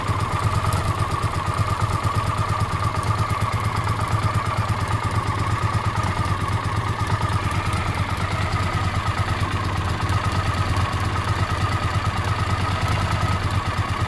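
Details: Honda CX500 V-twin with coolant dripping from a coolant pipe joint: steady idle with fast, light clicking from the left cylinder head; owner suspects exhaust gasket or, worst case, worn cam chain.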